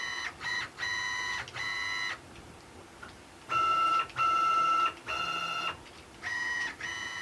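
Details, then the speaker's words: Stepper-driven CNC axes under LinuxCNC with a TurboCNC-style configuration via printer port, jogging at 120 inches per minute: clean steady tonal whine in short even bursts, no stalling, skipping or grinding; normal stepper operation. "You can already hear how nice it sounds, I think anyway. So that's 120 inches per"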